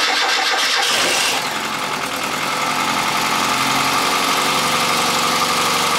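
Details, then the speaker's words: Austin Metro (red) after fitting new alternator, battery and drive belt to cure no-charge fault: starter spins briefly, engine fires cleanly into smooth steady idle; reads 14.63 volts, no charge light, sounds good — normal start and idle, charging fixed. "14.63 volts that's a lot higher than it was before which means i'm gonna guess it's worked no charge light sounds good"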